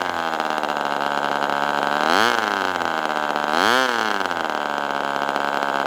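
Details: Ross Black Demon 61 glow engine on first run with Perry carburetor, after linkage adjustments: high single-cylinder buzz wavering and swooping because the binding carb barrel won't hold idle, staying around 4,000-plus rpm, then dropping and dying.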